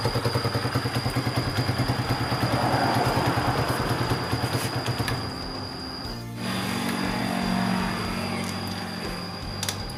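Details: Honda Sonic single-cylinder, previously hard-starting and sluggish, compression somewhat low, after fitting and tuning a replacement carburettor: quick even thumping that drops off and picks back up as the throttle is blipped, no misses.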